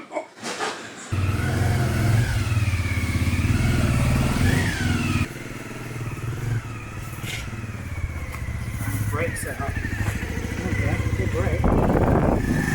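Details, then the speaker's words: 1997 Honda CB50V Dream 50 DOHC four-valve single, revived after sitting about 15 years, started nearly cold: steady even deep putter with no rattle, grinding or mechanical racket; healthy running. "well that engine just sounds so smooth that sounded great yeah that was that sounded better than I thought in a way I was expecting a bit more high-end sort of quite you know no rattl no kind of mechanical"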